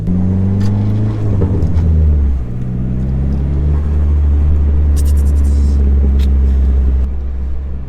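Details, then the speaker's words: Dodge SRT4 turbo with new Vibrant Ultra Quiet resonator, driving, internal mic inside cabin: deep even exhaust note swelling with revs, loud inside but not drony, no rattle; close to previous exhaust, healthy. "It's close to what the last exhaust was. Sound bad though. I'll have to see what it sounds like on the outside of the car, because inside the car it just sounds not drony but loud."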